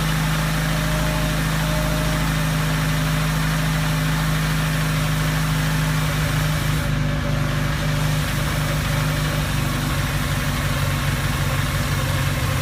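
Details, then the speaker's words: 1987 Suzuki Samurai with Sidewinder kit and new 44mm Screaming Eagle carburetor, first cold start at about 20–24°F: slow, heavy, steady idle throb with little rev lift; idle was too low, fixed by turning the carburetor's idle adjustment. "basically what I had to do was basically the idol was really low so I just basically turned turned a little adjustment"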